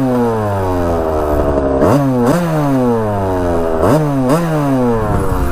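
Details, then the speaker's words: 1982 Kawasaki KX125 two-stroke on first ride, air filter off so maybe a tad lean: crisp revs rising, dropping on each shift and pulling clean again, no misfire; running really good, clutch possibly slipping a little. "running really good it may be a tad lean but i think that's because the air filter is kind of off of it"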